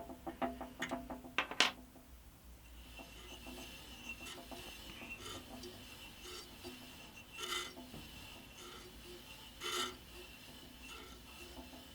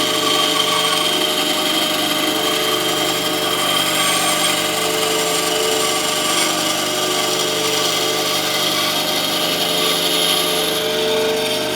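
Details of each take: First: Scheppach HBS20 band saw after a blade change, turned by hand while unplugged: quiet rasping with a faint scrape about every 2.5 seconds as the blade comes round. The top bushing touching the blade or the brush is suspected. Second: Scheppach HBS20 band saw after blade change to a 1400 x 1/4 x 6 blade for hardwoods, test cut to check drift angle: constant even hiss and whine through wood, no ticking or thumping, normal smooth cutting with much straighter drift.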